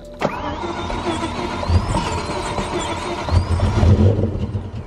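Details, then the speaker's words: BMW M5 cranking with a new sensor fitted and a freshly charged new battery: the starter cranks steadily, the engine briefly catches and surges, then fails to keep running. Crank, no start; transmission and engine speed codes were found afterward. "i know it sounds like it wants to but i'm going to give another crank right there it's just right there"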